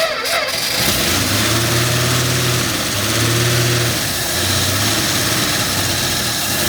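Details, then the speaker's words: 1965 Dodge D100 slant six, first run after sitting 30 years; freshly started, it settles into a slightly uneven idle with a faint puffing tick; small exhaust leak, judged not that bad. "it runs and it sounds just like a slant 6 with a little bit of an exhaust leak like always it's not that bad in exhaust"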